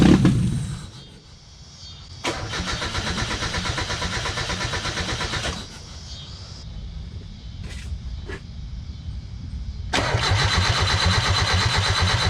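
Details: 1995 Mazda Miata with valve cover off: repeated bursts of even starter cranking, about three beats a second, never firing; cranks but won't start, though spark is confirmed and coil pack works.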